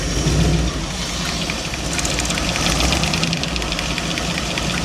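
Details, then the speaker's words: 1977 Dodge van, started after 20 years, ticks fast over a rough, uneven cold idle; owner suspects a cracked flex plate. It also has a small exhaust leak despite a new manifold gasket. "I don't know if you can hear it, but it's got a click. I think it has a uh a crack a cracked flex plate."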